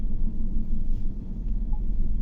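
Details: GMC Yukon V8 (2015/2018) at idle with a blinking check-engine light: deep, uneven, lumpy shake with irregular dips, RPM going up and down and the engine vibrating. Cylinder 6 is misfiring (P0300); code P124D, cylinder 6 injector high control circuit short; injector or wiring fault.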